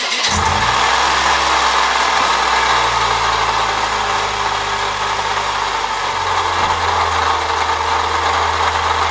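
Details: 1998 Saturn SL2 at idle: steady raspy scraping/grinding from the belt area, still present with a shorter belt bypassing the A/C compressor pulley; owner suspects the water pump, which is the next planned replacement. Source unconfirmed.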